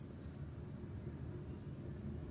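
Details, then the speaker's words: Maruti Suzuki Swift K-series with check engine light: low rpm, uneven stumbling idle, steering shaking, misfiring and sometimes stalling; current code P0102 air flow meter circuit input low, history cam position sensor code. "जैसा कि देख सकते हैं स्टीयरिंग भी हिल रहा है, गाड़ी मिसिंग कर रही है"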